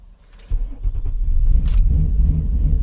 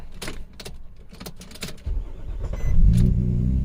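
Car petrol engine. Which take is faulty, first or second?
first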